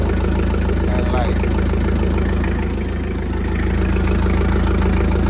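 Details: Hi-low forklift with a no-start, after checking fuses, starter power and the relay. The engine catches and settles into a steady, even idle with no knocks or misses. Normal idle.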